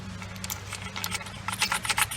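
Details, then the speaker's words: Removed rear turbo from a 2016 Ford Explorer Sport 3.5L EcoBoost twin-turbo, AWD: loose metallic rattling in uneven bursts as it's shaken; turbine wheel completely separated inside, believed the source of the noise, seals likely leaking oil. "just rattling around it's uh completely separated definitely not uh not good so i'm thinking that's what our noise was was this uh thing rattling around"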